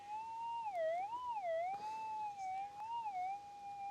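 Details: GPX 6000 metal detector with 12x7 Nugget Finder Exceed coil over a piece of lead shot: a clear whistling tone swells and dips as the coil sweeps, loudest in the sweet spot; strong target response.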